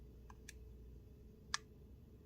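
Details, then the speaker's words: Miyoo Mini Plus handheld console held close to the mic: a few small clicks, then one sharp speaker pop as it shuts down. "See if you can hear that pop as I shut it down."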